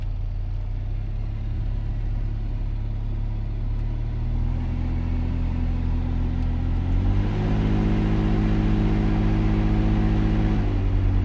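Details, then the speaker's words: 2008 Volvo XC90 AC: a deep cabin hum that seems to come from under the dash rises with blower speed and is felt through the steering wheel at full speed; the AC still blows cold, and the owner suspects the compressor or blower. "this is one under full speed and you get that when you hit full speed you can also feel the vibration from whatever that is coming through the steering wheel"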